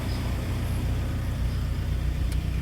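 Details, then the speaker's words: Suzuki APV warm petrol engine idling with AC on, camera at the open window outside: low, even rumble with no belt squeal, which normally occurs on cold starts with the aircon on. "Nabuksan ko na yung aircon. Wala na akong naririnig na ingay."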